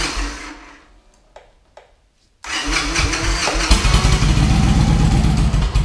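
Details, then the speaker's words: Victory Vegas Jackpot on a chilly day, new fuel pump just installed and primed: starter turns over steadily at about three to four turns a second and never catches, same fault as before. Crank-no-start. "We'll give the battery a chance to charge back up and see what happens, but it's doing the same thing it was doing before."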